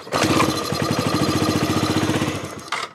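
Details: 2007 Yamaha C3 XF50 fuel-injected scooter, restoration with replacement fuel tank, weak battery, kickstarted: brief choppy run of uneven firing pulses, then dies; likely carb cleaner left in the injector, more battery needed.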